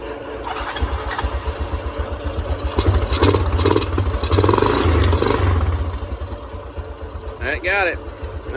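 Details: Honda Recon 250 ATV, after a no-spark no-start repair, fuel shutoff cleaning for old ethanol fuel and fresh fuel: small single catches after cranking and settles into a steady low thumping about four beats a second, running evenly.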